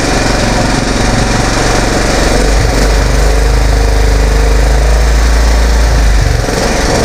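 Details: Kohler 15.5 hp single-cylinder engine pulled from a Craftsman rider, run after fitting the fuel line: a strong, steady low thump at even speed with no misses. Earlier screeching was attributed to mud daubers burning off.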